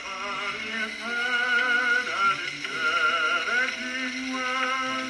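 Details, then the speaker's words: Victrola gramophone playing through a reproduction reproducer: thin, tinny playback with no bass and faint surface hiss. The reproducer is at fault. ">> That's a reproduction right there. That reproducer. So that's why it sounds like garbage."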